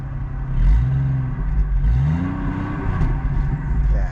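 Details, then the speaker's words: GMC Envoy SLT after the fix: engine picks up cleanly on a couple of light, quick blips and drops back smoothly, no miss, stumble or rattle; sounds much better than before, no check-engine light. "see that's way better all right now like let me show them I'm not even there stepping on it that hard I know it sounds good back there"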